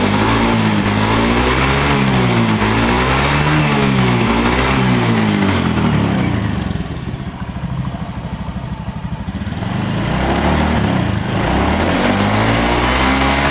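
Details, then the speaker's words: Honda Beat FI scooter single starts cleanly and revs up and down smoothly after a new spark plug and a replacement for the dropped battery that wouldn't hold charge; it had been cutting out suddenly. Normal revving. "Oke untuk permasalahannya atau kendalanya sudah bisa di atas ya ini sudah Mantap sudah jadi disini untuk kendalanya ada pada bagian aki yang sudah ngedrop"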